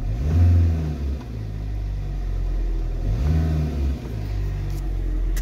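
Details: Ford Transit Connect diesel after a drive to cure engine hunting: deep, steady tick-over with no surging or hunting after restart, idle settles and holds evenly; glow plug light flashed but engine note unchanged, owner suspects injector pump revs were adjusted.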